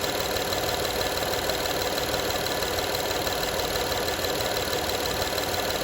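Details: 2012 Honda Odyssey engine at quiet, steady idle: light, fast metallic rattle over the idle hum, as if something loose chattering; engine rattle at idle, cause not yet pinned down.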